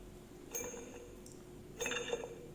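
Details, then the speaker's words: Leybold Turbovac 150 turbomolecular vacuum pump, long stored outdoors, rotor spun by hand before disassembly: two short bursts of light metallic rattling from worn ball bearings, something catching inside; rotor fails to coast the 30+ seconds expected of good bearings. "and here I can already hear the rattling sound of the ball bearing and something is catching inside but it's not bad"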